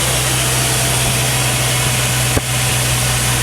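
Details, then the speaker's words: LS-swapped C10 pickup after fuel-system work, fuel pressure holding 50 psi with the pump now quiet: steady, even low-rumble idle with no misses or knocks; engine idling healthy. "Right where we want to be. 50 psi. Hell yeah. Man, that sounds good."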